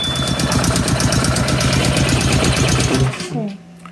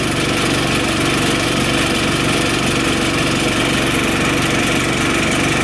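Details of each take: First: Honda GX160 on Grip-Rite wheelbarrow compressor, fully serviced (carb, filter, fuel, new plug): chugs unevenly at low rpm, won't throttle up, then dies; weak spark. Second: Honda GX160 on Grip-Rite wheelbarrow compressor, previously only ran at low rpm from weak spark, after replacing high-resistance spark plug cap: steady, even note about eleven seconds, no surging or misfires; fixed.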